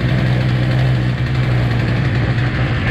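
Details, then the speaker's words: Husqvarna chainsaw found free, choked and primed on a warm day, low screw possibly needing a tweak. Steady, even two-stroke burble holding one low pitch with no surging or stalling. Idles cleanly. Normal idle. "There we go. Runs like a damn top."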